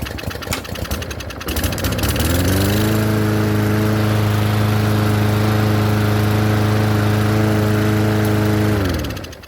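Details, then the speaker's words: Cheap Yard Machine mower left in rain with sand in the carburetor and a bad primer bulb. After a spray of carb cleaner it pull-starts and runs steady, even and strong. The primer channel is ruined, so the carburetor needs replacing. "as soon as i spray sharp cleaner she'll start right up and run"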